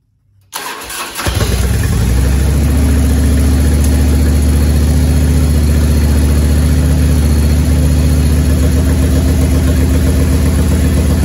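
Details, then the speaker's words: 1994 Harley-Davidson Evolution touring engine, over 70,000 miles, after top-end rebuild for base gasket leak, choked start: catches quickly and settles into steady lumpy idle, good compression on both cylinders, no ticking; exhaust noise from uncompressed torque cones. "no ticking in the motor uh compression sounds great"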